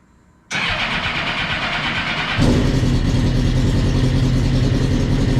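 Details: 2007 Prince LSR sports racer with 2008 GSXR1000 engine, 205 hp: quiet, then catches at once and settles into a crisp, even idle that steps up slightly; clean, healthy-running engine.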